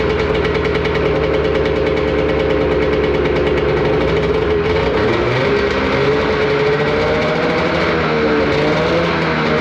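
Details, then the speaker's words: Arctic Cat Cheetah 440 two-stroke snowmobile engine, bought cheap and previously running rough, now running before warm-up: steady even drone, no misses or knocks, a bit smoky; piston rings probably worn, otherwise normal running. "like that sounds good it's a bit Smokey but at the end of the day like the piston rings are probably pretty worn down on it"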